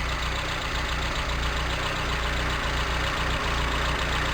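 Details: 1987 Toyota Tercel 4WD, carbureted, warm with choke open and idle brought up: engine holds a steady, even idle with no stumble or change in rhythm; normal idle while testing carb cut solenoids and vacuum lines for cycling.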